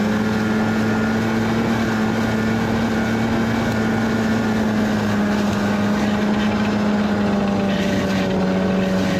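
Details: 1991 Arctic Cat Prowler 440 two-stroke snowmobile after revival: carbs checked, fresh fuel, throttle safety switch bypassed, earlier one-coil miss resolved. Steady, even drone holding its pitch, no surging or knocks, light wind. Flawless after about an hour's riding.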